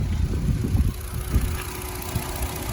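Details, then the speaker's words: 2011 Dodge Nitro 3.7 after the idler pulley was replaced because the serpentine belt fell off, causing hard steering and overheating: a steady idle with no belt chirp or slap. The test drive ran smooth. "Ran smooth, ran good. Pulley didn't fly off, or the belt didn't fly off."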